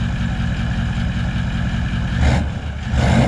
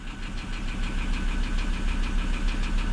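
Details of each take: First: Four-wheel-drive vehicle at auction, engine blipped: picks up cleanly on each blip and drops back to a smooth, even idle with no knocks or misses; sounds healthy. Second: Auction vehicle with six-speed automatic, clean oil and full coolant, just fired up at idle: a steady, deep knock about three times a second hammering through. Rod knock.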